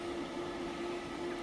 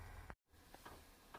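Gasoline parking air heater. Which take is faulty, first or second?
first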